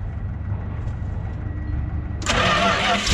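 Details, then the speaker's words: Old Dodge recovery truck, carbureted. Cranks and catches, then ragged, uneven, spitting run with hissing puffs; horrible exhaust leak and badly out-of-tune rich carburetor, needs electronics ditched and engine checked. "technically it's a runner. The horrible exhaust leak and the wickedly out of tune carburetor are not doing it any favors."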